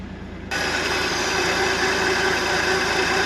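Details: 1971 International Harvester 1110 pickup, AMC 232 six, 4-speed, after its first start on a rebuilt carburetor, with timing set and coolant added. It catches and settles into a steady, even idle with no misses or knocking and no smoke; healthy.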